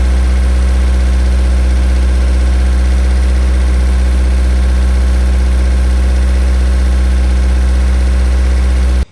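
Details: 1000 hp K-series jet boat that wouldn't restart, now running. A deep, steady hum holds perfectly even for nine seconds before shutoff, with no misfire or rattle. Normal idle.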